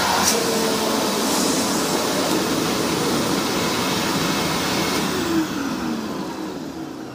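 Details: Hoover WindTunnel vacuum test-run after rebuild: loud steady rushing roar with high whine, then winding down after switch-off; this model's motor is known to be loud, running normally.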